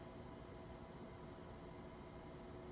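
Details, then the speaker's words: PC rebuilt with ASUS ROG STRIX X670E-I Gaming WiFi motherboard and AMD Ryzen 9 9900X: faint even fan whoosh at startup, no ticking or grinding; fans somewhat noisy at startup, then go quiet once booting; normal startup fan noise. "you can hear the startup the fans are somewhat noisy and then once it's actually booting they go quiet"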